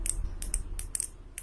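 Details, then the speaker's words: Relay with a 16 V DC rated coil fed only 12 V DC: sharp, uneven "tek tek tek" clicks, about five a second, as the underpowered coil keeps pulling in and dropping out; chattering from coil undervoltage. "siput terdengar bunyi tek tek tek yang menandakan bahwa with ini bekerja putus-nyambung ketika tegangan doa 12 volt becek"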